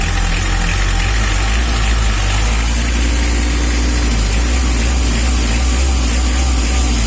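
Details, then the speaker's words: Mitsubishi L300 diesel idling after the injection pump was set: even, fine clatter with a deep unbroken rumble and no stumbles, where it idled rough before the adjustment; smooth diesel idle, pump timing now correct. "ini sudah kemericik mentari pagi mesinnya tambah"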